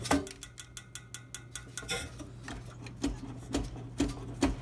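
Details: PTAC unit with fan running, balancing clip already checked: uneven sharp ticks, roughly two a second, over steady low hum; something inside, possibly motor area, ticking, source not found.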